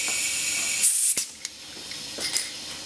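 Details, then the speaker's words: 750HP BMW 135 (JB4) turbo intake boost-leak test at 25 psi, fuel pump kicking on via Hobbs switch: a steady high airy hiss with handling clicks; only slight leaks at the oil cap and the catch-can vent, none on the turbo or intake side. "I didn't hear anything that would cause some concern. The only two leak areas I heard were the oil cap and my oil catch can vent tube that goes all the way down the trans tunnel. I didn't hear any on the turbo side or on the intake side."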